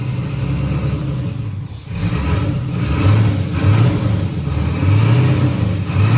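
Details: First start of a 1967 Chevy II Nova with freshly rebuilt 5.3L LH6 (799 heads), BTR Centri cam, LSA swap, new fuel system; fires into a deep, lumpy V8 rumble, blipping up and down a few times, keeps running: normal start.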